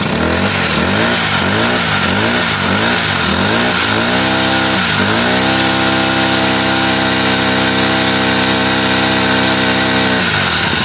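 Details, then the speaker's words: Honda GX35 grass trimmer after carburetor replacement to cure hard starting and misfiring: starts on one pull, several quick rev blips, then holds a clean, steady high speed with no stumbling; normal revving. "Tsaka napakaganda ng hagod niya mga bossing oh."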